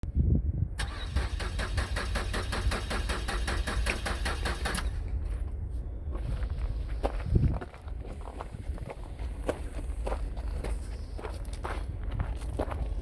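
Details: 2008 Ford Fusion: steady starter cranking for about five seconds that never catches, then cuts off; cranks but won't start.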